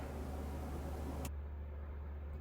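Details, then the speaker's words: Winix air purifier (C535/C545/5300) after replacing the noisy fan motor: low steady hum and smooth airflow, no rattle, scrape or wobble; old motor noise gone, possible grid-tie inverter hum in background; normal fan running. "The motor noise is now completely gone. All you hear is the noise from the air blowing through."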